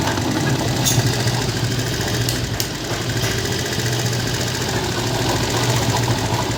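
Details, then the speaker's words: Motorcycle after replacing primary (main cushion) gear: steady even idle, soft mechanical patter, no gear whine or clatter; engine noise gone, remaining slight sound attributed to tappet, normal idle after repair. "आप check कर सकते हैं इसमें आवाज़ वगैरह बिल्कुल नहीं है, बिल्कुल इंजन ओके हो गया है, इंजन वगैरह ओके हो गया है।"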